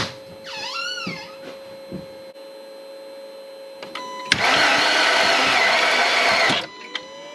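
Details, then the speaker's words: 2006 VW Passat that wouldn't start; with the key turned the starter spins fast, evenly and freely for about two seconds with no compression beats; no compression from a broken timing chain. "i don't know if you guys could hear that i'm gonna um i'm gonna bring the camera closer maybe you could see if you guys could hear this it doesn't sound like you have any compression"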